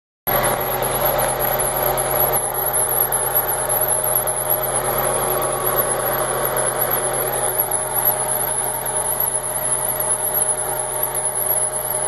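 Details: Fiat Marea 2.0 20v idling with an even hum, slight pulsing and a thin high-pitched whine on top; the engine overheats quickly to the red zone and the owner suspects the water pump belt, cause unconfirmed.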